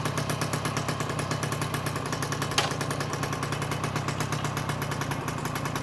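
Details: 1984 Honda MTX 50cc two-stroke on first start with a homemade exhaust from a 2004 Conti CHR: fast crisp popping beat, steady and even, running cleanly with no misfires or knocks; some cylinder leaks noted.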